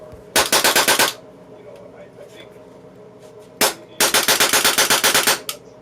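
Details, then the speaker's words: Polarstar Kythera airsoft engine after turning the disconnector about a full turn inward: crisp, evenly spaced cracks in quick strings of about eight shots, cycling cleanly; firing properly. "okay it's firing great now after I did the disconnector about a full turn inward"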